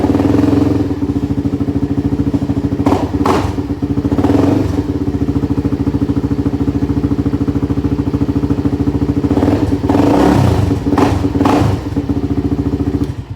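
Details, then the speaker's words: L4 Yamaha YZ125 two-stroke running oddly after being hit by a Terex the day before: buzzy running with uneven thumps and rattles about three per second; cause unknown. "for some reason it's kind of sounding weird my dad hit it with the terrex yesterday i don't know why it sounds like that"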